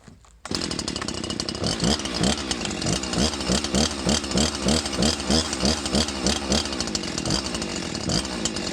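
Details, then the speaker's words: Old Husqvarna 345 chainsaw with a freshly installed cheap Amazon top-end rebuild kit, on 40:1 mix, idling about two minutes for break-in warm-up: steady idle with a light, slightly lumpy burble, no knocks or rattles; runs normally. "So I'm gonna try and get it to idle here just for a little bit, so she kind of heats up nice and slow."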